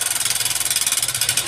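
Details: Honda CB Shine 125cc single-cylinder at idle: sharp, even ticking about fifteen times a second from the top end. The mechanic suspects low engine oil, a loose or worn tappet, or a worn rocker part; not yet confirmed.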